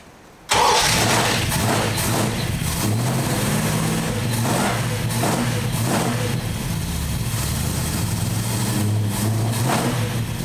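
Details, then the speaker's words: 1968 Valiant Ute 318 V8, previously running rough, after fitting correct spark plugs: catches right away, steady even idle, no misfire; normal start and idle. "and that's all it was a set of fa plugs so now we're going to fire it up warm it up and adjust the idle mixtures"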